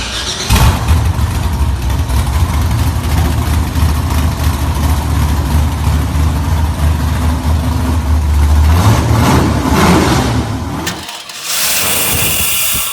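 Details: Chevy crank no start: starter spins briskly, three to four beats a second, never fires; fuel pump, filter, relay, cap and rotor, crank and cam sensors, battery replaced without change; security light never came on; cause was security system.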